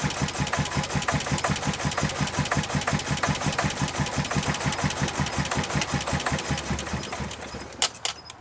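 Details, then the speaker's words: Ford Festiva, fuel pump work: uneven, lumpy chugging low idle that winds down and quits; runs terribly, owner suspects three-year-old gas. "there you have it it runs terrible I think it's the three year old gasps"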